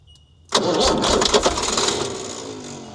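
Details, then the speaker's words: Ford D Series diesel truck, sat 28 years, first start attempt: silence, then a sudden loud catch that clatters briefly and fades instead of idling. Each time the engine hits, it throws the starter out. "Every time she hits, she throws the starter out."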